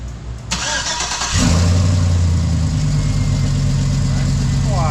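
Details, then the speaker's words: 2005 GMC Yukon V8, started with newly installed Flashark headers: catches and settles to a rough idle with an uneven puffing tick, heard as an exhaust leak at the header joint; the owner thinks the donut and flat gasket must go together. "Sounds like it. Yeah, she's leaking. So I didn't understand this side because it has the donut."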